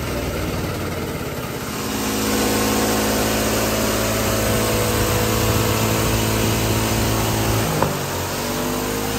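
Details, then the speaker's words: GX200 Honda-clone single-cylinder go-kart engine on hydrogen with pure water injection: runs up from idle to a steady, fairly even beat, one brief pop near the end; running smoothly, especially once at operating temperature. "Okay, so that's the hydrogen engine running now with the pure water being injected in. Uh, as you can tell, the engine seem to run a lot smoother there, especially when I got it up to operating temperature."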